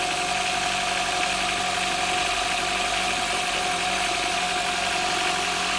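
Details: Four-stroke jet ski started in the lift starts easily and settles into a steady, even, mid-pitched idle with no knocks or misses. It is quieter than the two-stroke ski. Normal idle.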